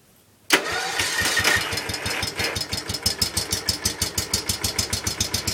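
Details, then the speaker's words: John Deere 110 lawn tractor Kohler single-cylinder after restoration with new wiring, new coil, reset points, slight choke; catches almost instantly, settles to even thump about six beats a second: normal start and idle. "This thing runs absolutely amazing. I think this thing might top out the H. I'm serious. This thing runs like no other."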